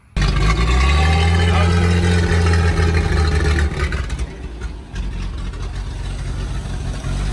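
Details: 70-year-old farm truck with a new rotor, points and condenser in its original Autolite distributor: catches and runs with a steady low rumble, settling toward a lumpy idle; running again after an ignition coil swap.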